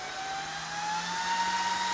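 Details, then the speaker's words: Dell DPS-488AB server power supply switched on at the front, fan speed set with a 500k pot; steady whine climbs gently in pitch as the fan spins up smoothly, no rattle or rub, healthy fan. "So I'm going to switch it on at the front. And you can hear the fan coming"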